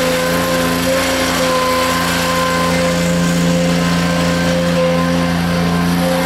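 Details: Rebuilt Grasshopper 721 mower, straight three-cylinder Kubota gasoline engine (cleaned carburetor, new fuel pump, plugs, air filter), moving and cutting with blades engaged: steady even drone of constant pitch, no misses or surging; healthy, though owner says it bogs in tall grass.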